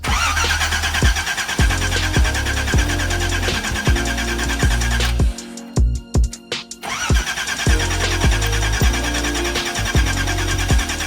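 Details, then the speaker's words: Datsun 280ZX after a new fuel filter was fitted: the starter spins the engine evenly, under two beats a second, but it never fires. It cranks but won't start; the owner suspects the tank is out of gas. "starts oh man maybe it just don't got no gas in it yeah let me let me go fill up a canister real quick"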